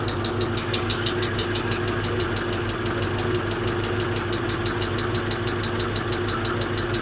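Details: Hemi V8 at steady idle with a sharp, even top-end tick about twice a second; owner suspects a lifter (some movement felt) and hears a clanking one on one side, cause not confirmed.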